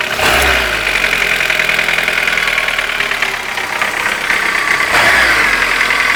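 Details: Engine at warm idle started tapping after the hydraulic lifters were replaced; no tapping when cold. A light, loosely regular tap about three times a second, source not pinned down.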